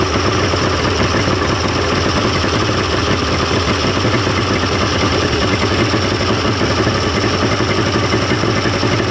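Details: 1995 Mercury 200hp XR6 Blackmax two-stroke outboard after timing adjustment and clearing carburetor jets; steady, even burble with no misses or surging, now idling smoothly and running much better than the day before.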